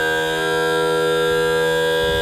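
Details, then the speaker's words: Mercury 60hp four-stroke outboard after topping up low tilt cylinder fluid with under 3.5 oz of oil. A steady electric pump whine at one pitch as the motor raises fully, without stutter or surging; normal tilt/trim pump operation. "So it's pumping fluid into the cylinder. At some point it may stutter. That means we're at the point where there's air."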